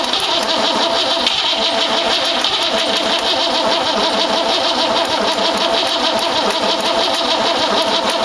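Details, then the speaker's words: 1914 Dodge T-bucket roadster on first start attempt: continuous fast, even starter cranking that never fires, because plug wires were set in clockwise Ford firing order while this distributor turns counterclockwise, Chevrolet style. "well bonehead mistake I put it firing order on here clockwise old Ford hangover visitor this turns counterclockwise juvie style"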